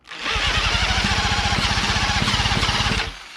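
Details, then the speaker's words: Late-1940s Johnson Seahorse KD15 outboard, long stored, about 60 psi compression, choke on: rapid cranking chuff with only odd irregular firing pops; hard starting, intermittent firing, owner unsure if carburetor or starting procedure is at fault. "It is firing once in a while. Let's give her some more choke. More choke. this hard to start."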